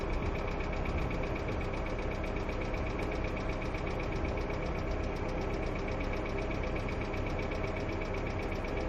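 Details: Hyundai Accent II at steady idle with fast, light ticking of about four per second over the engine note, a hydraulic lifter tick.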